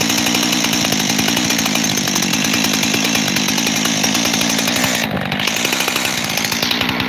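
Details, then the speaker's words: Freshly rebuilt Husqvarna 372 XTorq chainsaw with new bearings: high, raspy idle that won't settle, brief sag around five seconds; double idle, owner suspects an air leak at the transfer cover, not the carburetor. "I think that transfer cover is leaking, and that's what's causing me a double idle."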